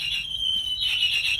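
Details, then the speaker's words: Bird electric scooter, locked, being moved during late deployment: high shrill warbling alarm repeating in short bursts, triggered by moving the locked scooter; scooter lock alarm. "but it's weird that it hasn't already happened but the further you go it's gonna send an alarm along"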